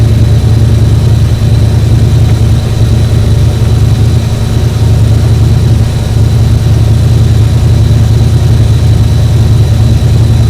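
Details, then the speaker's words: 7.3 IDI diesel truck, believed not run in about 8 years, cranking on starting fluid: heavy churning crank about three beats a second with uneven popping pushing back, never fires; cause unknown. "It should have fired off the starting fluid. Yeah. That's weird. I wonder what that popping net is doing. Did you hear it popping back, like pushing back?"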